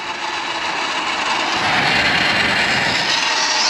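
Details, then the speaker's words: Sur-Ron Light Bee electric bike after hall sensor replacement, pulling hard from low speed: harsh, gritty whirring rising in pitch with a rough grind over the motor, then no drive; motor internally damaged, new motor needed. "something still didn't sound good no no oh dear she's not [Applause] happy"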